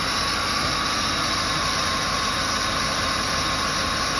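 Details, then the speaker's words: 2007 Ford Explorer XLT, 4.6L 3-valve V8, about 110k miles, running at idle, heard from the passenger side: a constant high-pitched whine, abnormal for this car, that rose with rpm. The lower grooved idler pulley was visibly wobbling and its bearing was worn. "I'm not sure if it's coming through on the audio, but here standing next to this definite whine that's not normal for this car."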